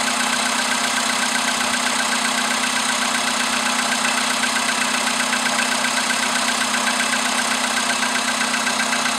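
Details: VW Polo sedan with CFN engine, cold start in the morning after a night at about 10°C outside: steady tapping at ninety-odd per minute over a bright, busy idle hum; engine knock, cause unclear.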